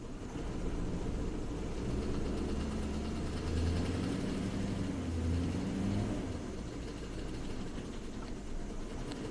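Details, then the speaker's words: 2007 Ford F150 5.4L V8 with P0012/P0022 cam timing codes and low power; a clogged bank 2 catalytic converter is suspected. Low idle surges and wavers unevenly as bank 2 cam timing goes out. The phasers are thought to be fine. "Okay, it's getting into its funk. Blah, blah, blah, blah, blah, blah, blah. Cam timing's way out of whack."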